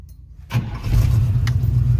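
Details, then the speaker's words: Lifted 1985 Chevy Suburban that had sat for 4 years, first runs after revival: engine catches almost at once and settles into a steady, even idle with no misses or knocks; initial tests good. "And it looks like it runs good so far. The initial tests are good."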